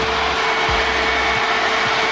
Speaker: all right he's gonna turn it on check it out that's just one fan the other fan is not working